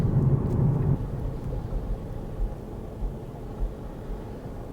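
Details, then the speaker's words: Mercedes, rear end slowly cruising to a stop: low rumble with irregular dull thumps from the rear, three or four a second, like someone banging in the boot or a nudge to the bumper; rear differential judder, differential oil needs replacing. "now I don't know if you can hear that it sounds like you've locked someone in the boot and the banging to get out let me out like a bit of a bump from the back"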